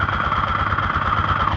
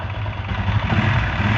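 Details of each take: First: Honda Titan 125 motorcycle at idle, heard through a stethoscope on the engine: fast ringing metallic clatter from the damaged camshaft knocking. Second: Honda Titan 125 motorcycle after its cam-side noise was fixed without replacing parts: steady, even single-cylinder idle with a soft thrum, noise about 85% reduced. Only faint ticking remains, heard with a key used as a stethoscope.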